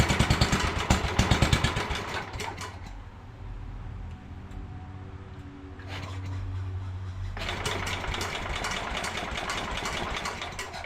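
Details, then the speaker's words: 1967 Sears Suburban 10 tractor single-cylinder engine during restoration reassembly, started on a little choke, carb being adjusted, muffler loose: start-up pops then lumpy hunting idle; brake cleaner changed RPM, revealing vacuum leaks to fix. "well I discovered an issue you I got some brake cleaning I shot it in behind here and it changed RPM when I did that so it's got um vacuum leaks so I'm going to take care of that"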